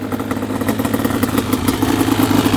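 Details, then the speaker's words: 1995 Yamaha Banshee 350 two-stroke twin, revived after 18 years in a barn, water just pushed out: crisp, even popping at a steady fast idle with no missed beats. Healthy, sounds great. "I forgot how good Banshee sound best sounding machine there is for sure sounds so good"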